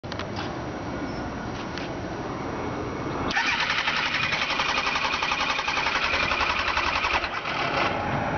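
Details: 2002 Kawasaki Ninja ZX9R: fast, even starter whirring at about four pulses a second with no catch or firing. The bike cranks but won't start.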